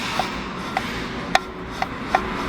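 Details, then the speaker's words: VW Saveiro steering column removed from the car and turned by hand, microphone held close: sharp, irregular taps about two a second from a worn internal joint. Column not repairable, replaced with a new one; the knock is louder when installed. "agora qual que era o ruído que essa coluna tá apresentando eu vou virar aqui na mão eu vou aproximar o microfone aqui vocês vão perceber o ruído que ela dava ao fazer o movimento"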